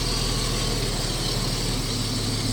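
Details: 1989 Jeep Cherokee XJ Renix with a suspected fuel pump cut-out that stalls it while driving. Here it holds a smooth, steady low idle with no stumble or surging. Normal idle; the fault is not reproduced.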